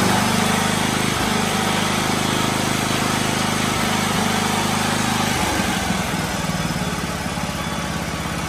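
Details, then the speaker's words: 1984 John Deere 111 lawn tractor after new fuel filter and fuel lines (previously wouldn't idle; bad gas suspected); small single settles into a steady low idle with a few brief speed dips: normal running. "I'm not sure if I need to do a a car cleaning job of this thing rebuilt it so it sounds good I had to adjust the idle down it was on a fast idle but I think it just had bad gas a clogged fuel filter maybe a clock fuel line"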